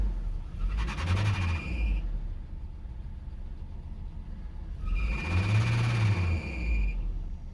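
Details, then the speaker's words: 2002 Nissan Frontier just restarted after EGR pathway cleaning for P0300/P0302 misfire codes. The codes were cleared and it was hard to start. Two sharp, steady high squeals ride over the engine rumble. The owner blames a loose drive belt that needs tightening. "I've got to get that bell tightened up. That squeaking's driving me crazy."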